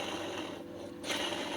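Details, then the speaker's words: Suntour HESC hub motor, partly torn down and turned by hand: gritty ratchety grinding from a rough inner bearing; owner plans to flood it with GT85 hoping to quiet it. "sounds a bit rough I'm going to try and just fill the bugger up with gt85 and and see if it shuts it up"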